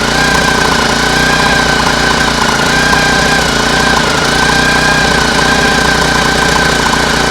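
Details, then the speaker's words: Homemade air-cooled outboard built from a lawn mower engine, tested out of water: steady small single-cylinder beat at cruising throttle under heavy water splash; normal running, though owner notes occasional slight misfire and fears a howl from bearings. "I think it's I think it sounds like that's that's an an okay throttle for for much for cruising speed it sounds quite okay"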